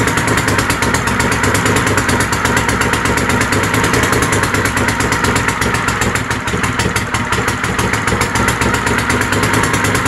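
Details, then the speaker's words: Troy-Bilt GTX 20 with new lapped valves and gaskets, gas fed directly into carburetor: loud, raspy, unmuffled twin burble at steady fast idle; only keeps running on choke, pointing to fuel delivery trouble; baffles gone, carburetor kit coming. "so you guys get the drift it runs the muffler basically isn't one's as straight pipes"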